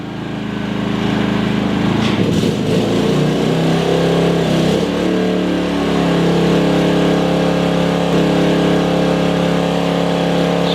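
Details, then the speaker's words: Maxpeedingrods MRX3500 portable generator powering a 2200 W kettle plus a 2100 W induction hob on its lowest setting: engine picks up and settles into a steady even drone; coping normally under heavy load. "I can have the kettle and lowest setting on hob. And I'll keep cranking it up until it cuts out."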